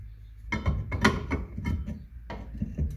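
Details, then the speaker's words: Orange MK1 Ford Escort panel van, brakes revived after 30 years: drum turned slowly by hand after backing off the adjuster gives faint intermittent scuffing as the shoes just kiss it; correct adjustment, slight drag. "It actually slips [clears throat] on and off. I can feel it making ever so slight contact. I can hear it making slight contact, but only a little bit."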